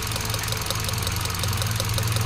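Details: 2017 Hyundai Accent after computer box repair and new coil harness: uneven lumpy idle with heavy vibration when one coil is lifted off, induced misfire; with coil seated it runs without vibration.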